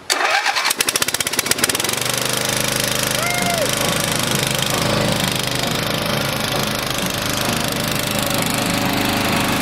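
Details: Small engine on a personal log splitter, freshly fitted with electric start, is fired up before splitting logs: a few quick pops catch within about two seconds, then it settles into an even, steady run; starts and runs fine.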